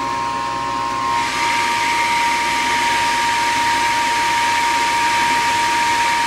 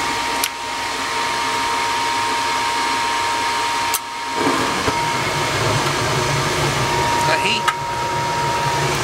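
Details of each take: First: Gas furnace above a carport on a no-heat call: steady inducer fan whir with thin high tone, but the vacuum/pressure switch is not pulling in and the furnace never lights; cause found as dirt in the switch's hose port. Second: Gas furnace above a carport, after a no-heat call, fired up after replacing a cracking, worn hot surface igniter (new one reads 70 ohms): steady even blower rush over a soft burner roar, no rattles or cycling; running normally and producing heat.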